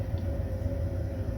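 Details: Baxi Combi 133 HE Plus combi boiler after replacing the faulty PCB (board fault): fan running, fired up, no red light; steady low roar with constant mid-pitched fan hum, no cutting out or clicking, running normally.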